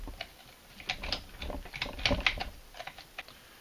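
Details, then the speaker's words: Peerless MST203 3-speed transaxle being converted to MST206, shifter worked by hand through reverse and first with axle turning: crisp, separate detent clicks snapping in cleanly, no grinding; shifter works normally. "so at this point we know the fact that the internals will swap we know that the shifter will actually work you can hear"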